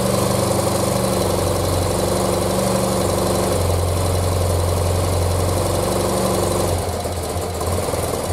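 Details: 1976 BMW R100S airhead boxer twin, dealer-rebuilt 20 years ago and stored unrun, carbs untouched and untuned, very cold, first run: catches and idles with a steady, slightly lumpy thump about four a second, then eases lower; running fine.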